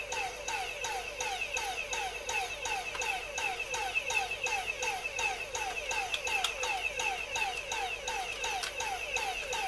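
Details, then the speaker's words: Dyson cordless vacuum motor on a bench power supply drawing only about 200 mA, BMS fault suspected: motor surges and drops about three times a second and never spins up; controller suspected faulty. "um it's modulating so it could be the controller that's faulty"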